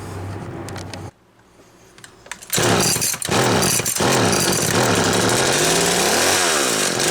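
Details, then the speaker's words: McCulloch Mini Mac 6 two-stroke chainsaw after a Walbro MDC carburetor rebuild, restarted warm: a few sputtering tries, then it catches and revs unevenly with wandering pitch; fuel percolation suspected despite the carburetor passing its pressure test. "I think it's perking fuel, even though that carburetor tested okay. I think it's doing something funny to me, but we'll find out."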